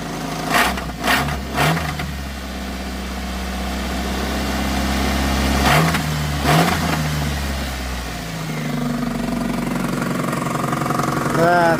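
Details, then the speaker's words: Geo Tracker idling after a trail run that left it ticking and banging: the idle rises and falls with several blips, and dull knocks come through the engine note; owner thinks it is engine-related, cause unknown, before removing the valve cover. "Still not 100% sure what it is, but I'm pretty sure it's engine related."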